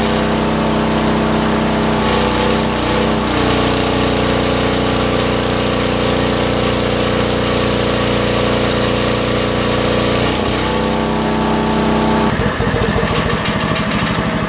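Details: 40-year-old Lincoln Weldanpower 150 genset welder (about 1977–78) with rope start, welding at 120 on rusty metal: steady, even engine note holding speed under load with faint arc crackle. Runs healthy.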